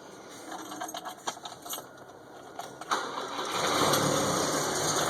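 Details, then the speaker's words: 1971 Volvo 142 built by IPD, cold start with no throttle: a few light clicks and cranking, then it catches quickly and settles into a steady, even idle; fires right up every time, runs great, healthy cold start. "So that's, you know, without giving it any gas at all, it just fires right up every time. So, runs great."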